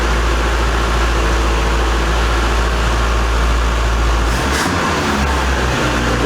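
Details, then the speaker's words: Abandoned 1982 Nissan 720 King Cab truck, modified carburetor, running after revival: steady, even low rumble with no misses or knocks; smooth healthy idle, though idle possibly set too low later and it died when choke off, electric choke suspected not working. "sounds good though i gotta find a battery life"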